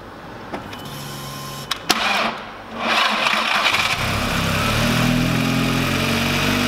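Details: VW Lupo 1.8T turbo first start after engine failure, rebuilt with H-beam rods, new bearing shells, 2 mm thick head gasket: clicks, catches at three seconds, settles into steady even idle without knocks or ticks; runs very well.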